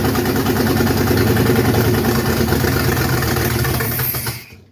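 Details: 1971 Plymouth Satellite Wagon V8 during engine replacement, transmission confirmed pumping: catches and holds a steady, lumpy idle for a few seconds before shutting off; runs cleanly with no knocks or misses.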